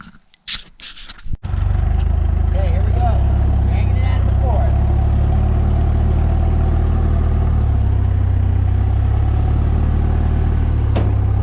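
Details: 1951 Oldsmobile 88 parts-car engine after compression test (warm compression rose from 110 to 170); after a cranking catch it settles into a deep, steady idle with a slight lope, running sound for its age.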